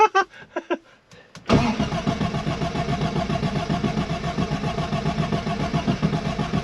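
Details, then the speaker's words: Arden 8 Port car whose cylinder 3 kept flooding, after injector cleaning and with a fuel leak noticed: steady rhythmic starter churning, but the engine never catches or fires, cranking without starting. "it's not even firing i'll try again"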